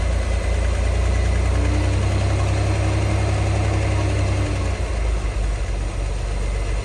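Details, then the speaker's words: 1963 Chevy Corvair Monza Spyder turbo air-cooled flat-six, parked since mid-1970s, running off its own fuel pump despite clogged lines and old tank fuel: steady even low thrum, no misses; earlier noise (fan or generator suspected) reduced, no leaks, normal idle. "but it's running off its own fuel pump right now I don't see any fuel leaks it's idling nicely"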